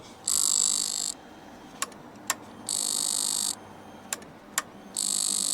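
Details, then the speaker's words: Rebuilt, abandoned low-mileage Honda CBR125 with the engine off: the fuel pump unit, borrowed from another bike, buzzes in one-second bursts with sharp clicks. Owner suspects the pump is faulty; the complete unit was replaced. "I'm going to change this part because this one I kept from the other bike just to make my life easy but it's making a noise that I don't like so I'm going to change this this piece here and maybe this pump is faulty"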